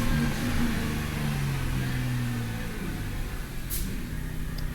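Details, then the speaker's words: 2008 Chrysler Town & Country/Caravan with idle and misfire codes and a newly replaced throttle body: petrol engine idling fast and slightly uneven, misfiring with the idle up pretty high; suspected vacuum leak. "Yeah, it's misfiring. It's misfiring. The idle's up, but that idle's up pretty high."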